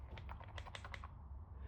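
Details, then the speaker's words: VW MK7 Golf GTI EA888 Gen 3 cam cover reseal: a removed valve-cover part shaken by hand rattles freely, quick light clicks; normal sound when it is working and not bound up. "yeah, when these are working right, you should hear them rattle like that when they're not all bound up."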